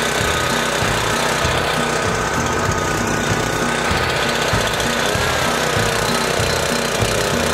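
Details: Small single-cylinder engine left outdoors three months, buried under snow, on 14–15-month-old 87 octane pump fuel, no additive, about half a tank; steady rapid beat, no stumbling or surging; running fine.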